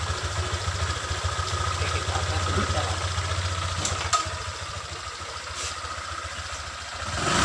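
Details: Honda Vario 125 scooter after repair of rolling without throttle, with a temporary clip fitted: quiet, steady single-cylinder idle, wheel no longer moves and stops when held, no slipping, rattles or clatter; normal idle.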